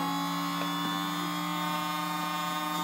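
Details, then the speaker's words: Jet Central kerosene-start RC turbine fuel pump priming at full speed, simulating running while lines are shaken to clear bubbles: steady high-pitched electric whir at constant pitch with faint bubbling ticks; running smoothly, normal. "cuz right now it's simulating running so what we're doing is a really good thing more bubbles basically now it's running full"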